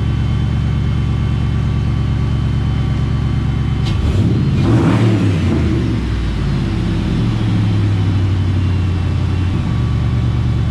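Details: Shelby Cobra build, 2003 Mustang GT 4.6 V8, after a new high-volume fuel pump fixed slow fuel pressure: an even burble with one clean throttle blip and steady firing throughout. It runs normally.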